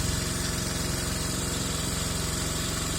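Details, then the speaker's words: Taotao Boulder 125 Chinese ATV that runs but won't move and dies: steady puffing pop about four a second from the top end, with fluid seeping near the head; busted head gasket suspected. "I may have a busted head gasket and we'll check that"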